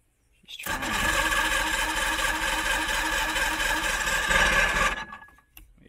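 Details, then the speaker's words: Old 90hp Johnson two-stroke outboard on a 1987 Crestliner, sat about a year, fresh plugs: rough buzzing catch on starting spray, runs unevenly a few seconds then dies; hard starting, carbs and fuel lines due for cleaning. "yeah the carbs are going to be taken off and the fuel lines are all gonna need to be cleaned out"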